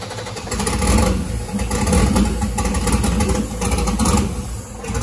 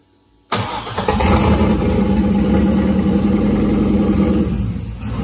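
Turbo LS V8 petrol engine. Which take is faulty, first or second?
first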